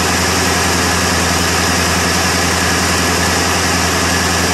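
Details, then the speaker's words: 1977 Ford F150 Supercab 460 V8, cold start after waking up the ignition control box by banging it, weak battery, fuel added to carburetor: loud steady low rumble, even lumpy idle, no misses; runs and holds idle. "well least she runs anyway had to give the old brain blocks a little bit of an attitude adjustment and make her work but otherwise sh she's a runner"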